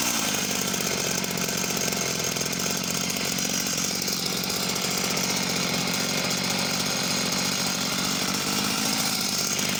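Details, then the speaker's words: Husqvarna chainsaw, unknown model, at wide-open throttle: high scream that burbles unevenly, four-stroking a lot at the top end; possibly running slightly lean, not confirmed. Chain bone dry, not oiling. "so seems to start okay and throttles up okay could be undoubtedly um leaned out slightly as well four stroking a lot at the top end"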